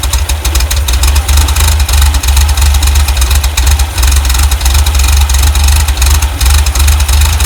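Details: 1967 VW double cab air-cooled flat-four after replacing distributor O-ring to fix an oil leak: steady low idle with even throb, no knocks or misfires; engine running normally.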